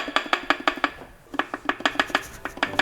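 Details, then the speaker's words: Range Rover L405 3.0 engine stripped down for serious knock: sharp metallic clacks about six per second as the number two connecting rod is rocked by hand, source of the knock. "Number two, that's where the engine knocking is."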